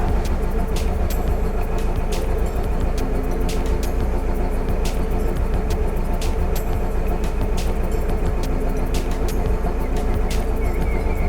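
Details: Alfa Romeo GT with engine light and rough idle, OBD scan reporting cylinder 4 misfire: low idle with an uneven stumbling beat and small irregular ticks; misfire from a failing ignition coil.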